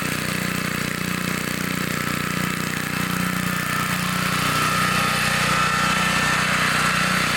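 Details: 1960s Bolens 28-inch Lawn Keeper mower, carburetor not adjusted, untouched at least 15 years in a collection, mowing grass: steady, even beat at working speed with no misses or knocks; sounds and runs good, healthy normal running.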